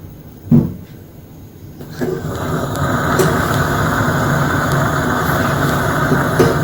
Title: Gaslicht Lamp making popping noise